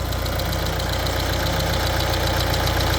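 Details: Peugeot Expert 2.0 HDi diesel at idle, about 200,000 on it: fast steady chatter, three or four a second, from the side of the chain linking the two camshafts; a timing chain rattle, something in there has failed.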